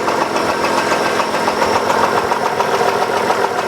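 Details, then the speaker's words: 2003 Hyundai Sonata 2.7 V6 (G6BA), starting poorly at times: idle with a steady half-dull, half-ringing knock, loudest near the right head, also heard low down, present at all rpm, seemingly between block and head. "ну и слышно очень такой полу глуховатый полос звонкий стук двигателя"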